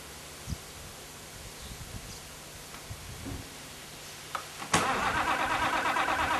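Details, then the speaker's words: Unrestored 1955 Allis-Chalmers WD-45 diesel tractor, warm summer day, run earlier, lightly preheated before starting: quiet clicks, then it catches quickly and settles into an even steady run, a little smoke at startup; normal start and run. "uh today I'll just preheat it a little bit and it'll start right up but then I'll drive it around a little bit show you that uh it has a little smoke just a little bit when it first starts up"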